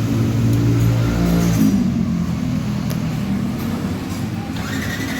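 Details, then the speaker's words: Old-model Yamaha NMAX that won't start, with fuel present and the throttle body already cleaned. The starter spins under two seconds without catching. Water was found in the fuel tank, possibly from rain. "Jadi tidak terlalu kelihatan. Di sini ada air. Bisa saja ini terjadi karena faktor hujan."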